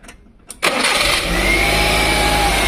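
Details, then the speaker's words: 1999 Maruti 800 carburettor car, unused two to three months, poor return-line pumping: engine catches after a second and runs up loud and uneven, won't hold idle, then suddenly stalls. "Car start ആവുന്നു, പക്ഷേ ... അത് അനിയന്ത്രിതമായ ഓട്ടത്തിലേക്ക് പോകുകയും പിന്നീട് പെട്ടെന്ന് ഓഫാകുകയും ചെയ്യുന്നു. ഇത് നിഷ്ക്രിയ വേഗത നിലനിർത്തുന്നില്ല; അതാണ് കാറിന്റെ അവസ്ഥ."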